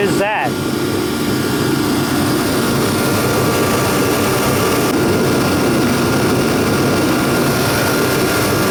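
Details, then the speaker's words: Procom 110VT turbo heater after repair, running at 120,000 BTU before dropping to 60,000 BTU: steady, even fan and burner roar with faint constant whistle, no surging or popping; normal high-fire operation. "right now it's running at 120,000 BTUs and we'll see if we hear it slow down"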